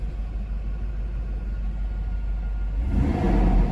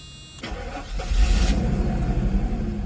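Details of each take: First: 1991 Mercedes 500SL R129, about 73,000-75,000 mi: revving brings a deep rushing fan roar that swells with engine speed; the aftermarket fan clutch engages too often and overcools, and the owner would return it if keeping the car. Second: 1991 Mercedes-Benz 500SL R129 V8, about 73,000–75,000 miles, engine compartment: short starter whir, then the engine catches instantly and settles into a smooth, even idle; it starts right up.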